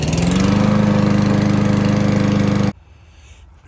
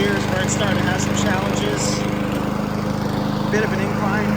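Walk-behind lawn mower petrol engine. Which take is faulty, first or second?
first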